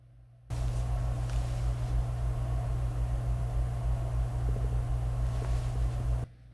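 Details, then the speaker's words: Amaran 60x S COB video light with smart fan mode stepped down from 50 to 25 to 10 with no change: steady, even low fan hum, no ticking, rubbing or speed wavering; noise comes equally from front and rear; normal fan noise. "And you might notice there is no difference. Moving down to 25. Still no difference and 10. And it's the same. The fan noise on the 60XS emits from the front of the light and the rear equally, so you really can't escape the fan noise."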